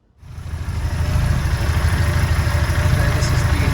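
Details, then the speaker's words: Mini with 1275 MG Metro A-Plus engine (72bhp), fresh after a head gasket failure and a Vmaxscart supercharger kit with decompression plate: catches and settles into a steady low idle of about 875–900 rpm, even and healthy. "running unun R the moment is about 875 to 900 uh usually comes a bit smoother with the supercharger because it's lower compression with the uh decompression plate here"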